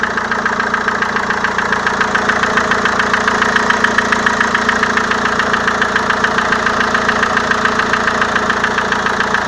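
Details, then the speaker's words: Renault Velsatis 2.2 dCi diesel idling cold at +18 °C outside with oil level normal: loud, even tapping from the hydraulic lifters, heard at the engine. Cleaning of the lifters is planned. "Вот. Слышно, как она стучит. Вот. На улице плюс 18. Вот. Идем к двигателю. Слышно, как они сильно стучат."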